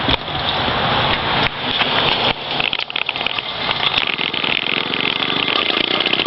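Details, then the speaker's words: Two-stroke motorized bicycle engine kit, first start by rolling downhill: uneven, hissy note that surges and stumbles without settling because the choke was still on; rough running with choke left on. "Nope, come on. Oh, choke's still on, that makes sense."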